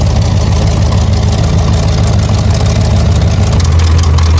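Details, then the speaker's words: 1984 Chevrolet Corvette C4 on a cold day, with a rejetted Holley 1460 carburetor, during ignition timing adjustment with the timing gun at zero: a deep, loud V8 idle with an uneven, lumpy beat that never settles. It is running rough; the exact cause is unconfirmed. "You guys can't really see down there, but sounds like it's running like crap."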